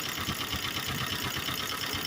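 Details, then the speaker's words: 1951 Willys CJ-3A four-cylinder jeep; shorting plugs one and two slows the engine, three and four don't despite strong spark; compression good, valves set; uneven loping idle with a missing pulse: engine misfire, cause unknown. "3A Has a Miss Spire I'm going to short out number one spark plug and you hear it slows out"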